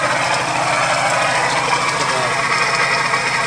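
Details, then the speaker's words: 1998 Geo Metro started after sitting for years, no coolant in it: rough idle with engine shaking and a harsh, steady rattling grind; the water pump bearing sounds completely worn out. "water pump sounds like it's just absolutely toast"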